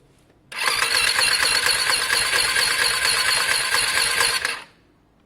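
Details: Lexmoto Diablo 125cc moped on a fully charged battery: light, quick, even starter whirr for about four seconds that never catches, spinning too freely, sounding unhealthy but close to firing; low compression.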